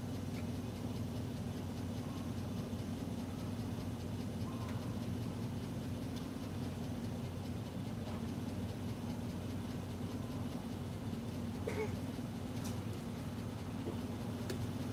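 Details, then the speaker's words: 2017 GMC U-Haul van, after repairing a crank/no-start fault caused by the starter signal wire: quiet, steady low idle with no misses or knocks and faint clicks of handling, left running while wires are cut; normal idle. "We'll let it run while I'm cutting these wires because if we don't, we could have a major problem. We'll let it idle while I snip some wires."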